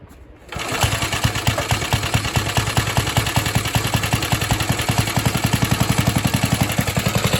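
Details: Atco Suffolk mower's small single-cylinder engine, choke off: it catches and settles into a quick, even firing beat of about three to four pops a second.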